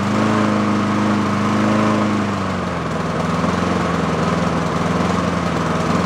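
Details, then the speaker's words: Yard-sale Honda mower warming up after carburettor cleaning; a steady beat for two seconds, then pitch sags and wavers unevenly; surging, owner suspects a clogged idle circuit. "we'll see if we can get rid of some of that uh oscillation but either that or that idle circuit is clogged and it's doing exactly what I just said as earlier with uh that getting that surging in there and that circuit is just not doing what it should"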